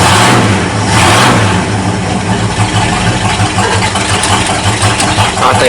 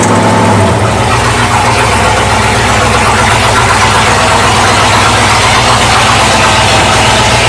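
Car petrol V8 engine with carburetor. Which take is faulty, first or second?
first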